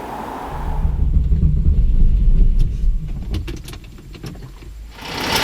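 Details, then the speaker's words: Porsche 911 flat-six running really rough after cold days, with the engine management light on: a lumpy, uneven idle from a misfire on one cylinder bank. Six fault codes were read, and the ignition coils were replaced. "it's also brought the engine management light on it's running really rough and so now we've got another problem with this car"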